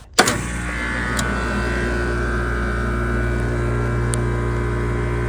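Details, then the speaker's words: Trane communicating system outdoor unit after a no-cool call with ERR126.00 and a tripped breaker: sharp start-up thump, then an even hum with fan whoosh as the compressor starts in high stage at 15 A on 240.5 V. "All right, so we got compressor high working. Okay, so the unit kicked on. We're at 15 amps."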